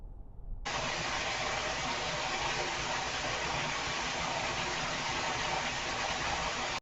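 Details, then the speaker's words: Loud, steady hiss that starts suddenly and holds, like water spraying freely, heard near midnight on a workplace security camera; a hose fitting has blown off the tap. "yeah so very different noise real loud noise and and I was sitting there thinking what the hell is that noise"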